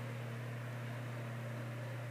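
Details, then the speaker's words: 1950s Canadian Robbins & Myers 12-inch oscillating fan, as found before restoration, first test run on high of two speeds: steady low motor hum with soft even air rush, no rattle or wobble, though not very fast for high; runs normally. "it's a good running fan though let's see if it shakes no that's smooth spins like a top"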